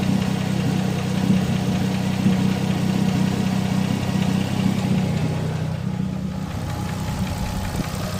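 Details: RB25DET Neo, hot after a 10 psi run, at idle: fast light ticking two to three per second, louder than usual, seemingly near cylinder 4 or 5; lifter tick suspected, small exhaust manifold gasket leak; fades after 5 minutes idling.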